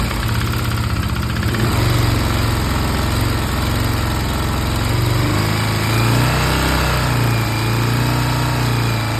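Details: Stels Guepard 650G engine knock: single-cylinder idles with a low, lumpy beat and a dull knock in the rhythm; something knocking inside the engine.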